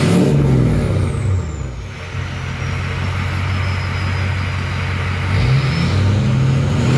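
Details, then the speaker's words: Ford 6.0 Powerstroke build with MBRP exhaust, S&B cold air intake, SCT Livewire tuner, backing up before first test drive: deep steady diesel rumble rising and settling with throttle blips, smooth with no knocks or misses; sounds normal. "all right guys we're backing this thing up just and just listen to it it sounds really good"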